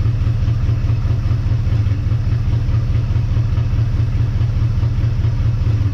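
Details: 1958 Dodge Coronet Lancer V8, barn find sat 30 years, idling after idle set lower, choke open; deep lumpy idle with uneven stumble; owner convinced it's not running on all eight cylinders, timing-light test shows intermittent plug wires; cause unconfirmed.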